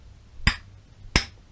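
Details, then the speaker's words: BMW / Awtowelo / EMW R35 motorcycle crankshaft, worn after about 30 years heavy use: connecting rod struck by hand gives two sharp metallic knocks, showing big-end play; crank worn and needs restoring. "quite a fast check to know if your crankshaft is worn out or not it's the knock knock test grab the crankshaft by the connecting rod and hit it with your hand"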